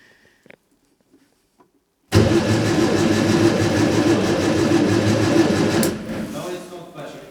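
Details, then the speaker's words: Scrapyard Fiat 600, hot-wired with no keys, possibly not drawing fuel: starter churns steadily at about four compression beats a second but never catches; spark-tester light not flashing, so no spark suspected, coil feed to be checked next. "okay so if not flashing which makes me suspect that it's not firing is it so let's start at the beginning let's see if we've got a feed to our coil"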